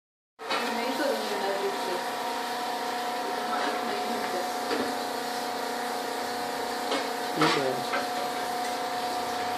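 A steady mid-pitched hum with a constant tone rides over the running fridge, louder than normal; the cause is not clear.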